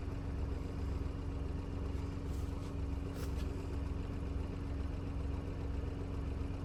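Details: Petrol car engine idling during an OBD2 scan: no warning lights, fuel temperature 27°, fan activation 10%. Steady low hum with an even idle beat around two per second, no knocks or stumbles; a healthy idle.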